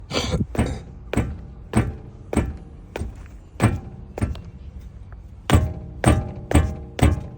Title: Стук подвески Geely Monjaro